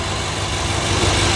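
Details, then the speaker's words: Auction car idling during inspection: steady, even low rumble with no knocks or misses, and it sounds really good. The underside is clean with no rust and no major leaks. "You know, and that's why I take a look at it. But it sounds really good in here."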